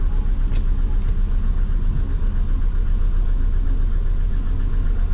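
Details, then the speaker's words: Twin-turbo Subaru idling before being put in gear: low, uneven rumble with a loping beat of about four per second that never settles, with knock correction usually logged. Rough idle. "it's rough. Usually getting knock correction."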